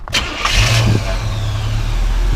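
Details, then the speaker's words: 1985 Chevrolet K5 Blazer Silverado with 96K miles, V8 start: catches quickly and settles into a deep, steady, even idle with no misses, knocks or ticks; runs really smooth, normal start and idle. "Runs really, really smooth. Go ahead and rev it up."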